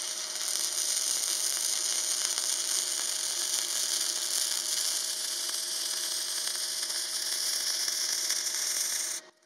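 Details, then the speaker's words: Parkside PMSG 200A2 welder, gasless flux-core wire, polarity mistakenly not reversed from MAG: harsh uneven crackling hiss with irregular pops; unstable arc, poor deposition, thicker weld. "खैर यह अच्छा है क्योंकि video shoot की हड़बड़ी में, मैं ध्रुवीयता को उलटना भूल गया और मैंने पोस्ट को थोड़ा दोष दिया, खुद को यह बताते हुए कि चाप स्थिर नहीं था, कि धातु बुरी तरह से जमा हुई थी और सोल्डर सामान्य से भी अधिक मोटा था"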